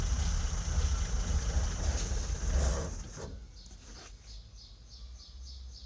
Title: BMW E30 M20B27 bad fuel pump connector